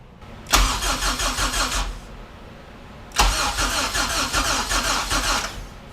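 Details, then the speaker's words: HPD K24Z7 racing engine freshly swapped into a Honda EK hatch, coils removed to prime oil through the head: two brisk, even cranking bursts of about 1.5 and 2.5 seconds with no firing, and the battery sounds strong; normal cranking with ignition disabled. "we're gonna crank it over a few times without coils on it so that way it doesn't fire up while we try and rotate some oil through the head and stuff"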